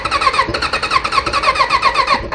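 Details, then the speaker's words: Kawasaki Voyager XII motorcycle that sat for a long time, no-start project. Steady cranking at about eight pulses a second that never catches. Cranks but will not start; owner suspects flooding from repeated cranking. "gonna go get some starter fluid I think I think I flooded it with all the turnovers"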